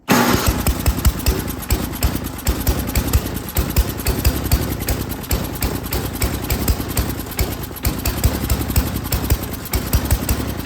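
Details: Yard King snowblower, single-cylinder, full throttle, choke on, primed; thumps unevenly with irregular firing while the high- and low-speed carburetor mixture screws are adjusted; it runs rough until tuned.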